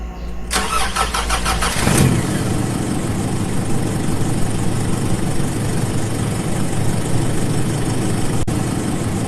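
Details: Don pips' car after being repaired and cleaned, before a test drive: brief cranking, then it catches within about two seconds and settles into a smooth, steady idle. Fixed and starting normally.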